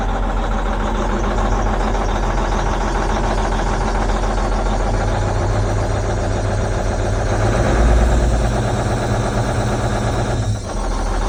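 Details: Versatile 2360 tractor, Cummins N14 rated 360 hp, before repair: big diesel idling with uneven lumpy beat and loping shake, cab shaking, belts squeaking; owner suspected a sticking injector with mist; misfire from failed injector.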